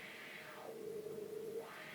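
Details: Wah pedal after repair by adjusting the pot wiper to press more firmly: a hissy wah tone sweeps smoothly down to a low hum and back up, with no scratchy or crackling static.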